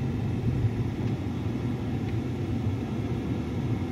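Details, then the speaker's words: 2010 Dodge Ram 5.7 Hemi, engine running after blend door actuator fix (K-17 recall part) that had clicked on startup: only steady low engine rumble, no clicking from behind the dash; all functions working properly. "There we go. All the functions are working properly."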